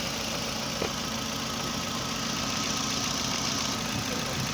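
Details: 2009 Toyota Camry with codes P0300, P0302, P0303 and a non-working fuel gauge, fuel pressure about 46 PSI: uneven, stumbling, hunting idle from cylinders 2 and 3 misfiring.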